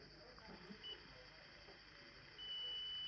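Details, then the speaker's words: Original Lenovo two-pin laptop charger, output cable tested in multimeter continuity mode: steady, piercing meter beep comes on and holds, showing the cable conductors are shorted along their length. "you hear that so that is behaving like a while that means this thing is shorted within"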